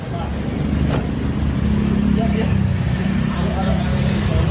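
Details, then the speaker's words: Used-car inspection, engine started after checking for hose leaks and timing cover seal seepage: smooth even low drone with steady hum, no ticking or rattling; normal idle. "Jadi ini untuk mobil ini contoh kita keadaan mesin dalam eh sangat normal ya dalam kondisi sangat normal jadi tidak"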